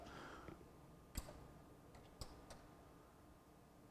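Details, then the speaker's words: Sony MDP-600 LaserDisc player gives a sharp relay click on, then another click as it immediately shuts back off; a power-supply problem suspected, otherwise something binding in the mechanism. "you're on and then immediately right back off and so can't really get a good look at the power supply in this position so we need to get it out go through the camps make sure we don't have a issue there"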